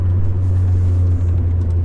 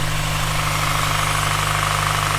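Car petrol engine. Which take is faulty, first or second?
second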